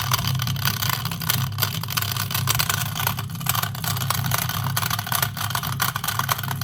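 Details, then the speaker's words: Washing machine drain pump removed and run under no load; loud rough buzzing whirr with scratchy crackle, not right, explaining why the machine sometimes would not empty water. "you can hear how noisy that is that's not right see that's why I had problems with empty water"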